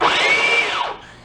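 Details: Small pedal-operated drive motor from a garage-sale find, run on a 12-volt battery with a fuse on the hot side: a high, even whine for under a second, then a smooth wind-down as power drops. The motor runs fine.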